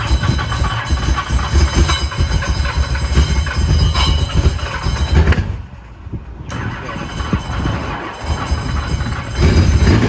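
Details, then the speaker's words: Late-1980s IMSA GTO Gen 3 Chevrolet Camaro race car, V8, both fuel pumps on with fuel pressure, first start after import: heavy chugging cranking, then it catches and runs with a strong even pulse; good compression, healthy normal start. "Oh, that's good. That is That's good. a good sign, you know? It sounds like compression. It does, yeah."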